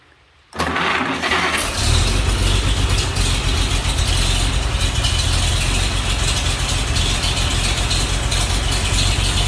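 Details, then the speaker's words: 1936 Chevy pickup, partly warmed up, no exhaust system fitted yet, carburetor still being adjusted; starter catches and it fires straight up, open exhaust chuffing unevenly with a wandering beat, rough idle. "but you can hear it runs kind of idle's kind of rough i do"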